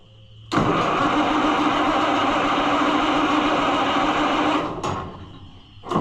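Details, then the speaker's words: Oliver 1800 C series tractor that sat about a year, with jump pack and choke out: the starter grinds steadily about four seconds and never catches; cranks but won't start. A carburetor problem is suspected, not confirmed. "Maybe that's our problem. We're getting nothing, friends."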